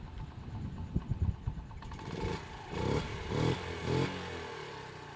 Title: MONKY（Z50J） after maintainance incl carby O/H fixed exhaust leak 整備完了後